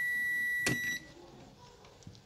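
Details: Samsung UA32EH4000 LED TV, totally dead with no standby light: a multimeter continuity beep holds for about a second with reversed probes on a rectifier diode with one leg lifted, showing that diode is shorted.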